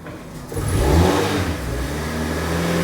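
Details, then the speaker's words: 2012 Ford Ka bought at auction, warmed up to temperature with no MOT, short off-road drive: the engine pulls up smoothly with a steady, even rise in revs and no knocks or misses; it sounds healthy. "Here she comes. Sounds smooth."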